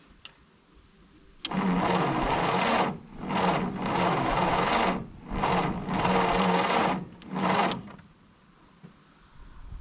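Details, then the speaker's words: 1951 Willys CJ3A Jeep, 6-volt four-cylinder, off road since 1969, new points, spark present: sluggish, labored cranking in short bursts with one faint pop, never catches; weak 6-volt battery probably needs recharging. "I'm gonna have to get a new 6-volt charger so we can get this battery recharged probably."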